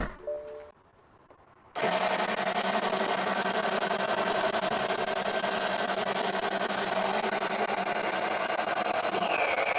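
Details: Power steering pump whining with a steady droning tone that bends in pitch as the wheel turns; fluid was low and very dark and the pump is running almost dry during a fluid change; whine from low fluid.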